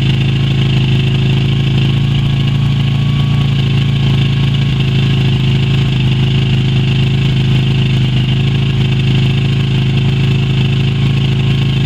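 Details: Yamaha Virago XV250 V-twin started after 6 years in storage, old tank fuel black, carb primed with squirted petrol; steady low idle with deep even pulse, holding speed while stale fuel burns through.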